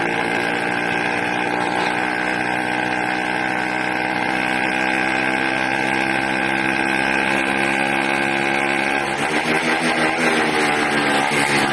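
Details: 80cc two-stroke engine, loud and buzzy, surging unevenly with a pitch shift near nine seconds; erratic running, owner suspects a carburetor problem with a leak at the intake manifold, not confirmed.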